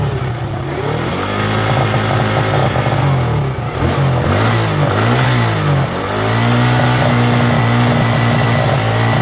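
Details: Suzuki Gixxer 150 single-cylinder motorcycle, after stator repair, kick-started on a flat battery; engine keeps running steadily through a few rev rises and falls without stumbling or cutting out, sounding healthy.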